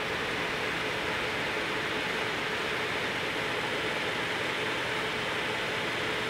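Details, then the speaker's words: AMD Radeon VII graphics card on stock auto fan profile, fan near 3000 rpm during benchmark: loud, constant airy rush with no rhythm or rattle; too loud, owner prefers custom profile around 2200 rpm with undervolting. "to me 20900 is just way too loud it's just as bad as the reference blower style one even though that one only ran at 2400 rpm noise profiles the same I don't like the noise profile at all"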